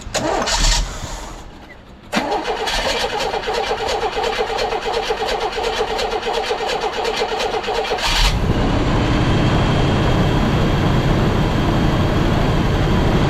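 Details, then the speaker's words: 1982 GMC S-15 starter cranking evenly for about six seconds with no grinding, then the engine catches and runs steadily; the starter noise is fixed after a loose one-bolt mounting was corrected, though it may still need a shim. "Starter sound is fixed. I think it still could probably use a shim, but you could hear the difference. It's drastic."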